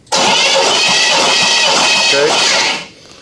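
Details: 1983 Chevy K10 engine being revived after sitting 24 years, cranking during a compression test with about 150–155 psi readings on the cylinders; steady, even cranking under three seconds with no grinding or stumble.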